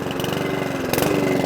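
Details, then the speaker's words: Mountfield 414 lawnmower, very smoky: small single-cylinder chuffing that suddenly picks up and hunts in speed; surging from fuel starvation. "k and it's still hunts and surges because they do and it happens to me too"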